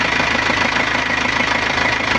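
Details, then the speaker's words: Nissan Panther diesel after a rebuild with NPR liners and original piston rings: a steady, even idle clatter with no misses or knocks, the engine cool and smooth, with slight shaking attributed to a weak engine mounting. Normal diesel idle. "Tapi kalau kita pegang mesinnya itu adem. Gitu. Alhamdulillah untuk suara mesin oke, adem, halus."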